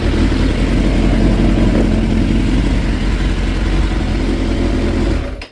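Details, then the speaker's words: 2006 Suzuki GSX 600F Katana with iridium spark plugs, idling after carburetor work with the air/fuel mixture screw half a turn out and intake boot clamps tightened; starter spray on the boots brings no rev change. Smooth, steady idle with no hunting or surging: normal idle. "But all in all, now it's running nice and tight."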